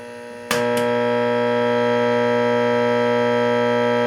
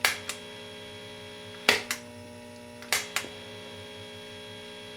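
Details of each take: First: Late-1965 Gibson Epiphone EA-32RVT Comet tube guitar amp at volume 10: faint idle hiss jumps to a loud, steady buzzing hum when the reverb is switched on, due to poor grounding, not the loose wires. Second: Late 1965 Epiphone EA-32RVT Comet tube guitar amp, reverb full after fixing reverb tank grounding with a jumper clip: faint steady hum, acceptable noise level.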